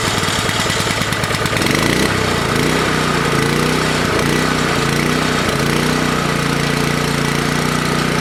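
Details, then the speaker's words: Toro Power Clear 621E snowblower, 163cc OHV four-stroke single, after cleaning clogged main jet: rapid pull-start chatter, then catches and runs at slightly wavering speed; uneven running, carb still needs cleaning. "i was just thinking like how am i going to shut it off yeah runs card needs to be clean definitely but um yeah we'll take it from here"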